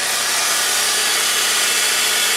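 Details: Vehicle with almost 160,000 on it, check engine light and recurring secondary air injection pump code: loud steady airy blower-like whir, no rattle or grinding, after start; secondary air pump is running.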